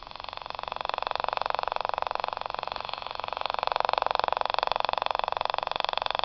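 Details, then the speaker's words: Battery-less Stubblefield coil at 0.3 V, reactivated by tap-water soak, driving a magnet spinner on a mirror: crisp, very even reed switch clicking about four per second, running normally. "that's the reed switch clicking and that's spinning up that little magnet on that mirror"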